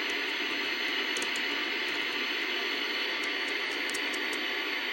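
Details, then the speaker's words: 1964 Sony 9-304U portable TV after fixing the bad detector diode: steady, even static hiss with no squealing, motorboating or vertical noise; the set is now working normally. "ooh no more squealing no more motor boating no more wow do we have static we do no more uh vertical noise no more horizontal squealing it's no longer a noise toy then look"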